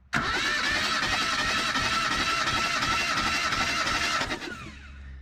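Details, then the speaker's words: Old truck with 179,000 miles, last tagged 2005, during a compression test: steady, even cranking at about 3–4 beats a second with no weak strokes. The first reading is a strong 180 psi; compression is like new. "she might have 179 000 miles but she's got compression like she's brand new starting with a strong buck 80."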